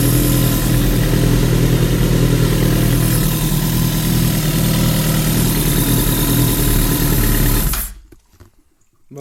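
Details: Suzuki GSX-R 1000 K9 with replaced engine block: deep, even beat at steady idle, no knocks or rattles, then shut off; engine sounds healthy.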